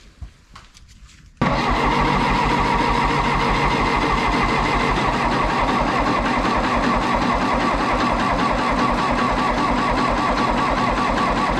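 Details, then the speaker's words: 1960 John Deere 1010 diesel tractor after engine rebuild, glow plug 1 not working and 4 weak: sluggish slow cranking about three beats a second, never catching; owner suspects a tired starter. "I really think if that starter wasn't so tired this thing would would pop off"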